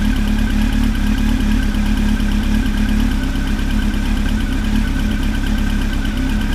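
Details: Engine at a steady idle with a fast, even light tick riding over the engine note. It sounds like a top-end tick, but the source is not pinned down.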